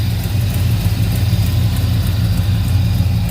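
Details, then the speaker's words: 1971 Chevrolet El Camino revived after sitting: after a brief rev the miss clears up, leaving a low steady V8 burble at idle with no misses, knocks or hunting; carb may need dialing in, possible float bowl drip. "when i rev on it a little bit oh no it's cleared up missed gone cleared up"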